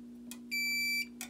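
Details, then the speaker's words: Non-Simplex fire alarm panel with NAC1 feeding a voltage regulator at 24 V, manual evacuation triggered: a single steady high electronic tone of about half a second between faint clicks, the alarm sounding. "So I'll show you. I'll do manual evac on the system. Here you go."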